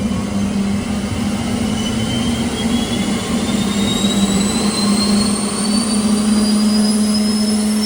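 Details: Boeing T50 jet turbine-powered Camaro running on the lift with wheels up, in gear after topping up transmission fluid: loud steady low drone with high whine slowly climbing in pitch over eight seconds; turbine spools smoothly, running healthy.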